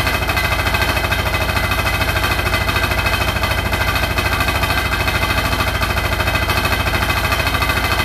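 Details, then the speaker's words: Hotpoint NSWR843C washing machine on final 1200rpm spin: a hard, even rattle of about three per second, loud and relentless throughout; the cause of the loud rattle is unknown. "And the thing was rattling, is right there. It was rattling really loud, so they're not working out just yet by this hot point, I guess."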